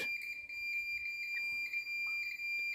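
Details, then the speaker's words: Multimeter on buzzer setting across the disconnected Mercedes KE-Jetronic idle micro switch (decel/cut-off), positive to upper and negative to lower contact: steady unbroken high beep, switch closed with good contact at idle; sound must stop when accelerator lever is pressed. "we want to hear that buzzing sound that means that we have contact"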